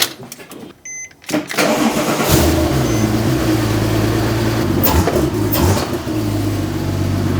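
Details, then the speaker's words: Porsche 911 Turbo rebuild (600HP) after fitting full exhaust, O2 sensors and fixing power steering leak: brief dash chime, short crank, engine catches and settles to a steady, even idle; runs well, still needs more intake piping, no fluid leaking underneath. "it's sounding good uh I definitely I think it needs some more intake piping but there is no fluid shooting out from underneath"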